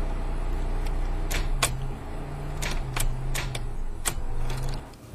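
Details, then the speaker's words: Failed starter: sharp single clicks at uneven intervals over a low background hum, no cranking; solenoid clicks but the starter motor won't turn the engine. "when the starter fails your turn the key and nothing will happen you'll usually get an audible click that sounds something like this"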